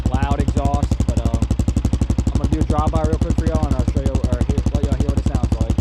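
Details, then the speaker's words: Single-cylinder with Big Gun exhaust just repacked, silencer core installed: steady even idle thump about four pulses a second, loud but rounded; a lot quieter than before, healthy. "all right y'all so i just got the silencer core installed right there and we'll see how much difference it makes definitely a lot quieter at idle sounds all right i guess loud"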